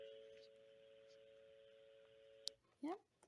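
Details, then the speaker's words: Restored rotary phone, reassembled and plugged into a phone system by RJ11 cable: a steady, even two-note hum for a couple of seconds that stops when the handset moves, a normal dial tone. "So we're going to see if we get a dial tone. And we do. Don't know if you can hear that."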